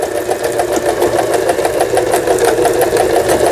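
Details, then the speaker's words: Repaired Janome-made JF1012 sewing machine, long unused, sewing overlock stitch: brisk even needle clatter about three beats a second over motor hum; stitching succeeds with upper and lower thread tension well balanced. "옷감의 가장자리가 풀리지 않도록 해주는 오버록 스티치 바느질까지, 요 오버록 스티치까지 이제 성공적으로 박음질이 돼서 나오고 있습니다."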